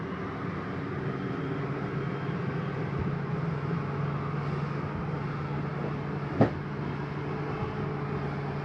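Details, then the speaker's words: 2018 Superlite 29KSWS RV slide-out motor extending: steady low electric motor hum, then one sharp clunk near the end; that noise just means the slide is all the way out; normal operation. "Slides all the way out. That noise just means that your slide's all the way out."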